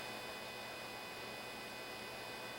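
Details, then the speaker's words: Vizio CA27 all-in-one PC, built-in base speaker: faint steady buzzy hum with hiss, feedback or interference noise; owner likens it to a failing power supply but the cause is unconfirmed. "So if you listen carefully, you can hear you can hear sort of feedback or interference noise."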